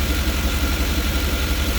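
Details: 5.7 L TBI V8 at idle with the interior engine cover removed: a loud, throbbing idle with a pulsing chuff under a hiss, louder than normal, from an exhaust leak somewhere in the engine compartment.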